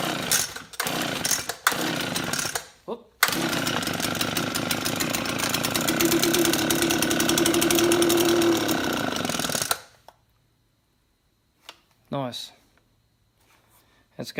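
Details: Unbranded two-stroke leaf blower bought for $5 from a dump recycle centre, primed with fuel and spark unchecked. Loud buzzy engine fires after a few pulls, runs rough for about six seconds, then dies; it runs only on priming fuel.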